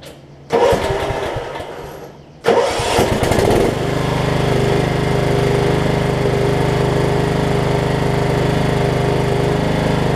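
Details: Over-20-year-old Craftsman riding mower, Kohler Command engine, previously impossible to turn because the deck belt was fitted wrongly. The starter cranks briefly, then it fires and settles into a steady, even idle without drag or stall; normal start.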